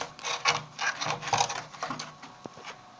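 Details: Water heater: irregular scraping knocks and rubbing bursts, about two a second and fading out; abnormal mechanical noise, cause unknown.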